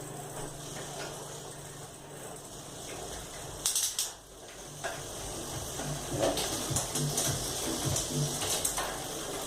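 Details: Bicycle with newly installed Shimano Tourney TZ 7-speed rear derailleur after cable tension adjustment: quiet chain whir with crisp shift clicks, no rattling or chain trying to climb between sprockets.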